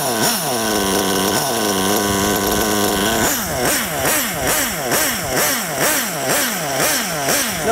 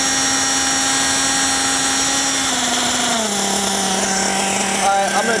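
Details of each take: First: Nitro RC car engine after low-speed needle leaned back toward optimum from too rich: quick throttle blips rise crisply from idle and drop straight back, no bogging or sputter, car not creeping forward at idle; low-speed mixture right. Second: Nitro RC buggy engine with low-speed needle deliberately leaned out; high revving whine drops in pitch and turns rattly and uneven as the engine pings from the lean low-speed mixture.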